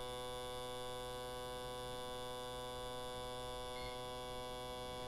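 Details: Autool CT-200 fuel injector cleaner/tester running test 10, the 10-second high-speed spray test run three times at constant pressure, on injectors for 5.3L Jaguar V12 rebuilds; steady, even electric buzz that never stutters, injectors firing uniformly; flows close, about 49–50 ml.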